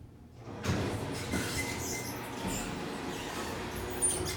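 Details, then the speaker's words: Rough rattling rumble with scraping squeaks as the door runs for several seconds from an early-1970s Westinghouse door operator on a modernized traction elevator; operator sounds worn out and about to fail. "That door operator sounds like it needs to go. It literally sounds like it's about to die."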